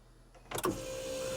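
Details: Smart Fortwo, key turned after freeing the stuck alternator: one dull clunk, then only a faint steady hum with no cranking; starter motor is dead.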